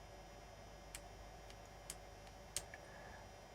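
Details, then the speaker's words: Weller magnetic-tip soldering iron, about 25 years old, no longer heating, tested cold. A few sharp dry clicks as the magnet pulls the switch closed to power the heating element. Normal magnetic temperature switch operation. "you might not hear it, but there is a distinctive click as the magnet pulls the switch and makes the contact to keep the element going."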